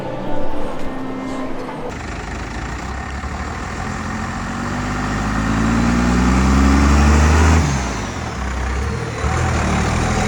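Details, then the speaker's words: 2nd-gen Cummins diesel truck, converted to dually, towing: a tone climbs with road speed and then drops off. Owner suspects cooked 4th-gear synchro and 5th gear whining only under towing load, not confirmed. "This is normal. It looks like the 4th gear synchro and 5th gear is very cooked up when it hauls weight. It doesn't do this when there isn't weight behind it, but since we're towing now, there's a lot more strain on the gearbox."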